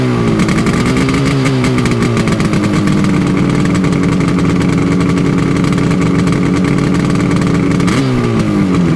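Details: Yamaha RD350 LC two-stroke twin, 1980s, new plugs and fuel, mic placed by bike: crisp blips up and settling back cleanly, even firing, no misses or knocks; healthy.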